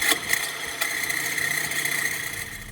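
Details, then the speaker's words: 2013 Chrysler 200 with no-charging warning light and a noise under the hood for a couple of days: steady high-pitched whine over faint engine run; whine under hood, owner suspects alternator, which was then replaced. "Okay, so we definitely have the no charging light, and we had that sound coming from under the hood for a couple days. So, sounds like alternator."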